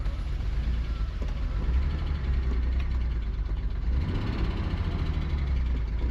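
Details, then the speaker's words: Nissan R34 Skyline, 149,000 km, parked outdoors 10 years, running on stale fuel with no coolant, pod filter and AFM fitted: low uneven idle that stumbles and lurches; rough idle with misfire. "How nice is that? 149,000 KS. Runs like an absolute dog."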